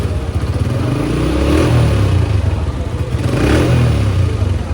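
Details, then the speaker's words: Honda CB125F single that wouldn't self-start, only clicking 'krrr', now fitted with a new 12 V 7 Ah battery: fires up and idles with a steady thump, takes two clean throttle blips and settles smoothly; runs fine. "खैर जैसा कि आपने देखा है सिर्फ battery change करने से मेरी बाइक का इशू रॉल्व हो गया और बाइक बिल्कुल सही से स्टार्ट"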